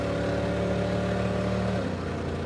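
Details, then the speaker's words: Super Camaro 350 cubic-inch V8 with automatic, wide open under load, drones with a flat uneven note; misfiring as if running on only some cylinders, very little power. "oh I can hear the misfiring of a 350 cubic inch V8 that's probably running on uh 220 cubic in right now"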